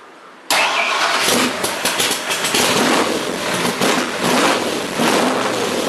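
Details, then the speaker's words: 427 Cobra with a DFI Gen 7 EFI system at first start-up, oil pressure, coolant, fuel pressure and electrics checked; quick catch, then a lively, slightly uneven V8 idle with some blips and no knocks or rattles, a clean start. "all the electrical is working the fuel pump is working and get my fuel pressure now I can start it up and we should have no problems"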